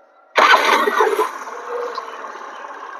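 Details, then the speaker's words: Suzuki Burgman scooter after auto-choke repair: quick clean catch on starter, revs settle straight to light steady idle with no stumbling; starts and idles normally. "গাড়ি normal চলে এসছে। দেখুন ধীরে চলে এসছে।"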